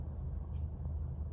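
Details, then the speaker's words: 2013 Honda Accord after two tanks with Liqui Moly Gasoline System Cleaner. Idle rose from a shaky 700 rpm to about 900 with no shaking or vibration. Low even rumble, steady beat; normal idle. "And also the shaky RPM I had, which was 700 before, now it's about 900, and it's not shaking or vibrating."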